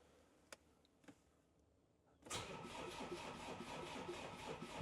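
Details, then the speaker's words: Land Rover Defender diesel after DIY engine swap, first start attempt on a battery pack dropping to 11.2 V: a few clicks then sluggish rhythmic cranking, three to four beats a second, never catches; owner suspects weak pack, diesel just primed by mouth. "I don't think this battery pack's got much juice. Because as soon as I turn it on, it's like down to 11.2 volts."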